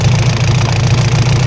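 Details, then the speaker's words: Isuzu 4BC2 diesel jeep idling in neutral with rapid knocking clatter over the low rumble, worse with slight throttle; knock traced to inside the injection pump, not the engine, so the pump is being removed. "nakita na ah sa loob ng injection pump ang naririnig natin na lumalagutok at wala sa loob ng makina kaya tatanggalin na ang injection pump."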